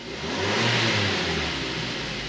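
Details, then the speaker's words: Mazda 3 after replacing motor mounts, top mount found bad: engine revs cleanly with smooth even rise and fall in pitch, no clunks or rattles, vibration through floor, wheel and console gone; normal revving. "Oh, she immediately sounds and feels a lot better, a lot tighter."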